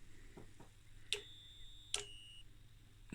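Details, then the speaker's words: Danbridge JP12A 12 kV high-voltage insulation tester (c.1985?), on test at low current range around 600 V: irregular sharp clicks with short ringing; a relay was failing while current and voltage were still being output. "the relay the relay was broken the relay was failing and you could hear something was going on and current was going on"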